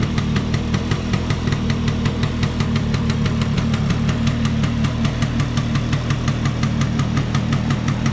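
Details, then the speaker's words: Vespa P200E two-stroke, restored after 30 years in a shed, after fixing air leaks and passing a leak-down test: steady even popping about six beats a second holding pace, which it wouldn't tick over before; normal two-stroke idle. "Okay. That certainly sounds much better, and it's ticking over, which it wasn't doing before."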